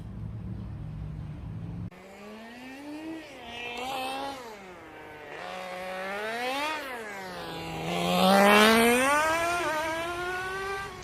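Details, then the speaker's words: Old nitro engine in a Tamiya TGX Mk1 Nissan R390 GT1 RC car on track, with a leak at the front; screams up and down cleanly with throttle changes and shifts, running reasonably well. "As you can hear in the footage there, the car is running reasonably well. The engine is pretty old and it does have a leak in the front, so it's not running the best, but it's actually running pretty good."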